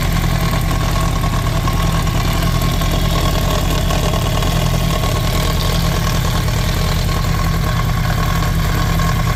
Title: 2007 yamaha r1 rattling/grinding sound, help!!! #yamaha #yamahar1 #motorcycle